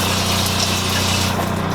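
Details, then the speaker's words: RV in storage with no hookups, onboard water pump supplying the shower after shower head replacement: even electric pump drone with water rushing through lines, no pulsing or labouring; pump running normally. "and I know when storage we're not hooked to anything so what you hear there is just a water pump going"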